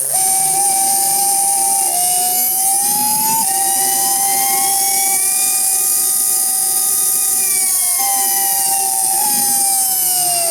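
Loud high-pitched howl with stacked whining tones that wander up and down in pitch and never settle; worn motor bearings.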